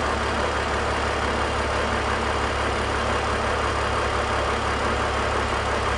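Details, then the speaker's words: BMW E46 330i/325i after the deliberate vacuum leak is fixed by plugging the two back in: smooth, even idle with a steady low hum, no hiss, stumble or hunting; fuel trims returning to normal. "so there we go I'm going to plug the two back in fix the vacuum leak come way down Fel trims are returning"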